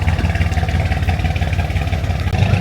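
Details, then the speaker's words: Mercedes-AMG C63 S donor car idling lumpy and uneven with irregular pulses and clatter, running like four cylinders; misfire from unmetered air leak at the throttle body coupler. "It's running very weirdly. What is going on with this car? Running like 4 cylinders."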